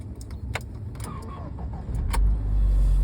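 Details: Chevrolet Niva on a cold start after sitting: thin wavering squeal over the cranking until the engine catches; owner first blamed oil, but it is the starter squealing.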